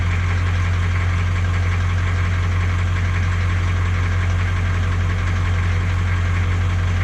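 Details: 1982 K20 Suburban diesel 4WD 3/4 ton, started cold after sitting 3+ years on new batteries: a steady low idle with an even clatter about three per second over a deep drone. Possible valve clatter; the previous owner suspected a blown head gasket.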